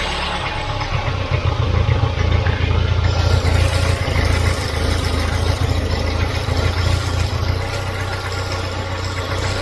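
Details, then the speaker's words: Volvo 940 Turbo rough warm idle slowly swelling and sagging; owner suspects a vacuum leak, MAP sensor or idle control valve; cause found to be a leaking fuel pressure regulator feeding fuel into its vacuum line. "what we could have is either a split line we could have a split vacuum line somewhere so it's allowing air in so it's making it hunt could also be a bad sensor it could be a bad map it could be a bad idler control valve"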